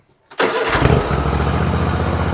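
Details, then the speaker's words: Kohler-powered Hustler Raptor SD mower after tune-up with new spark plugs, air filter, fuel filter and oil change, cool wet weather: fires within a fraction of a second into a smooth, steady thumping idle; normal start. "starts right up a little wet out here you know it's been raining that's all right"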